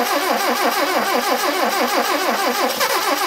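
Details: 1978 Mitsubishi Colt Sapporo, laid up since 1993, first revival attempt with fuel in the bowls and spark confirmed: rapid rhythmic starter cranking at about 90 pulses a minute with no firing. Engine turns over but won't start.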